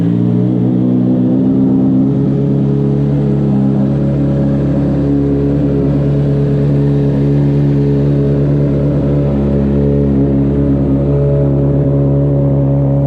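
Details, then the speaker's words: 2009 Honda CBR600RR inline-four, wrecked and restored, 13,543 miles, new battery, low on fuel, first run in about two years: fires and settles smoothly, revs rise and fall cleanly with no knocks or misses; healthy. "we're a little bit low on gas so we're gonna fire it up a little bit see how she sounds this is the first time I've had this bike running in like two years"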